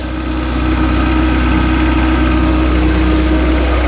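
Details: Peugeot RCZ-R running, checked for oil leaks before warming up: steady, even low idle with a smooth beat and no ticks or knocks; engine sounds healthy, with no more oil streaming out.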